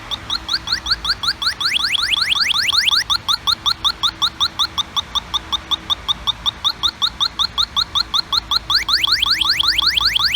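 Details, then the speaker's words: Halogen electronic refrigerant leak detector (Pittsburgh Automotive) held at the evaporator drain tube under a raised vehicle; its beeping speeds into rapid rising beeps near the drain, confirming a refrigerant leak in the evaporator core. "And that's how we're able to verify using a halogen detector that we have a leak in the evaporator core."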